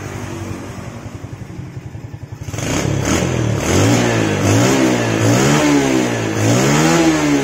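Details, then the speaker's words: Yamaha Jupiter Z carburetor, previously sputtering with black plug because leaking vacuum line let fuel into the manifold; after plugging the line and setting air screw about 1 turn out, idle is even and steady, then blipped. "nah perhatikan beda banget kan langsamnya langsung stabil seperti ini enggak kayak tadi ya berebet-breerebet"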